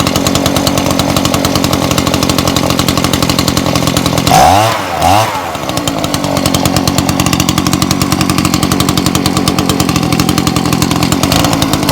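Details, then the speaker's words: Old Echo two-stroke blower running on choke because stop switch not yet connected: steady buzz with a brief dip then even run; carb sounds fine, though a diaphragm and gasket kit will still be fitted. "i've got stuff on choke at the moment because the switch isn't connected i'm going to sort out now so it switches off so it's going to be worth me spending the money on that and you hear the carb is actually all right"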